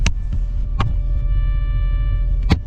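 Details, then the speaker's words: VR/VS Holden Commodore factory Eurovox tape deck: powers on, screen shows channel 1 and channels switch, but only a steady low hum with faint high tones and clicks, no audio from speakers; cause unknown. "Because this one, so turn it on, screen comes on, a number 1, but I got nothing. I just got a noise, if you"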